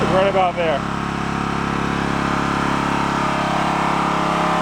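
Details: Onan K450 portable generator, yard-sale unit that sat a long time, after air-fuel mixture adjusted at the back: holds an even, steady beat with no misses or hunting; runs smoothly.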